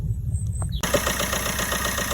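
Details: Vauxhall/Opel Astra 1.3 with no start from a sticking, clogged EGR valve and intake pipe; after cleaning and greasing the EGR diaphragm it catches at once into an even, steady idle with no stumble.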